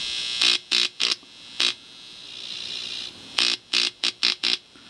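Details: DERB PTR AF-RF signal tracer after its transistor was replaced with an ECG substitute: a finger on the input with nothing else connected gives harsh buzzing hum bursts with each touch, loud and steady while held, showing the amplifier works.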